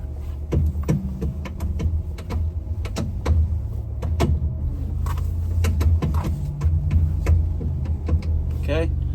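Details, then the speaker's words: Ram Promaster van, steering wheel being turned: irregular springy clunks and pops over a low engine hum as the coil spring catches and releases; bad strut bearing. "that is a strut and that noise is the spring catching as it rotates cuz the whole spring thing rotates and it's catching and releasing because the the strut bearing is bad"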